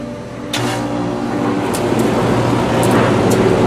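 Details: Rheem Classic central air conditioner, first startup of season in warm weather after a momentary brownout: deeper hum clicks in and settles to steady drone with fan rush, no grinding or squeal; healthy startup.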